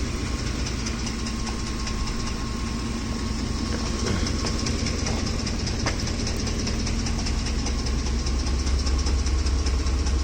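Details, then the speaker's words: Ford F-150 3V Triton, hot at idle: loud, even clatter at about two and a half beats a second, carrying from a distance, from the top of the engine; possibly a camshaft problem, unconfirmed. "You can even hear it from here. It's making a lot of noise."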